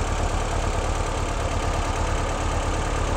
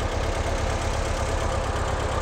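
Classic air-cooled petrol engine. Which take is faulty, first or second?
second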